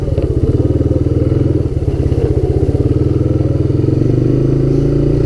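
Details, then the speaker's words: Honda Big Red ATC250ES no-start fixed by cleaning brown sticky deposits from carb and intake and refueling with stabilized gas and Sea Foam; crisp single-cylinder thump that picks up cleanly as the throttle opens, no stumbling or popping, accelerating well. "Yeah, the carburetor is completely clean. It's accelerating well."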